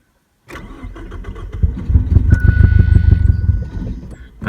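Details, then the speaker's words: 1989 Ford Probe GT parts car, 1990 nose, with Seafoam added: engine catches but runs roughly, lumpy firing sagging and nearly dying as throttle is pumped; stumbles on throttle. Air intake blockage, possibly mice, suspected. "ah she just won't hold it i'm pumping it i don't know if that helps or not"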